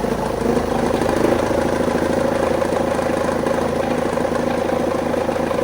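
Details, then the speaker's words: BMW E46 after starter motor replacement, jump-boosted due to flat battery: turns over without grinding or clicking and runs with an even, steady, regular pulse; normal crank and start. "¡Está vivo!"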